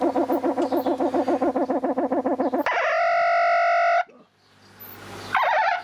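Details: Weldon valve radio with dead radio circuits though the audio stage works fine: a warbling, pulsing squeal settles into a steady high whistle with no station behind it; an oscillation fault, source not pinned down.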